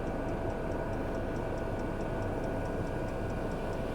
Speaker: what's it saying now as you can see that's climbing right the way up that'll go up to 252 60ish and This Is It On full power oh that's lovely